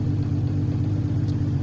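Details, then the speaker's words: Honda CBX with European (lower-output) alternator at idle, about 1000 rpm, battery at 12.4 V and not charging yet: low even burble with steady pulse, no ticks or knocks; normal idle. "as we can see the equilibrium at the moment on idle is 12.4 volts um so the bycatch isn't charging at the moment"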